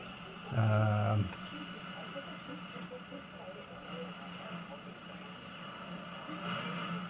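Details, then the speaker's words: First-model Pye Ranchero transistor radio, filthy, eleven paper capacitors not yet recapped, powered up: thump at switch-on, then crackling hiss and buzzing over a faint Bendigo/Melbourne station; works but reception swamped by interference. "And the lights are on, and there's a lot of interference around, but You will just get away with that."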